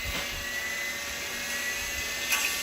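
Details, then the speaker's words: Old motor with new cheap 6203ZZ bearings, on a VFD reprogrammed for 240 Hz, stepping 60, 120, 160 Hz toward 240, powered from a UPS with 12 V batteries: high harsh whine and hiss as the bearings run well beyond their speed limit. "Ooh, that doesn't sound too good. We're way overshooting the bearings. The speed of those cheap Chinese bearings."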